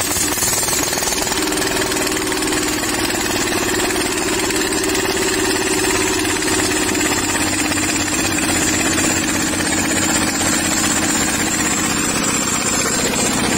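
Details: Single-cylinder diesel (R175/R180 type, kuliglig tractor) giving a loud, fast, even clatter with a steady beat and no misses; it runs cleanly. The engine had been hard starting from loss of compression.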